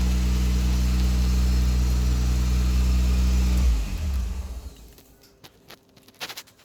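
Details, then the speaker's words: 1977 Toyota Celica RA28 with 1G-GTE engine, first start with makeshift pipe, intercooler not connected: steady even exhaust rumble, no knocks or clunks, then clean shutoff; normal running. "so I know that it does run it does work it sounds good it's smooth there's no knocks there's no clunks"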